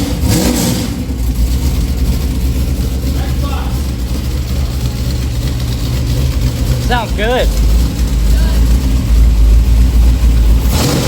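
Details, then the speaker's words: Newly built, carbureted V8 in a truck, first run after four years of building: deep lumpy idle with a firm cam, a few clean throttle blips, revs rising and settling evenly; sounds healthy. "It does sound good for a little 53, huh? What do you think? Sounds great, man. Carburetors always sound better."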